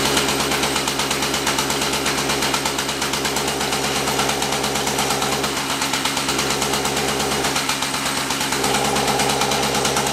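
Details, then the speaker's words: Extreme Scooter XG-550 at full throttle: fast engine note with sharp, uneven popping; misfire under load, cause not confirmed. "That's full throttle right there. You hear that popping noise? You hear the popping noise on it."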